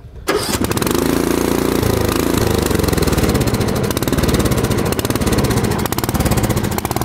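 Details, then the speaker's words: 13.5 hp Briggs & Stratton engine still surges after new carburetor, fuel lines, fuel filter, clean fuel, spark plug and battery; starts and cranks easily, then speed swells and dips in a steady hunting surge. Owner doubts valve adjustment is needed. "like all right so there it is surging at its best"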